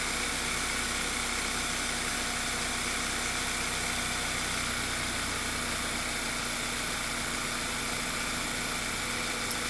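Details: VW Eos 2.0 TSI, engine code CCT, after rear main seal replaced for a detached lip causing a vacuum leak and lean misfires: steady, even idle hum under hiss, no stumble or whistle; normal idle.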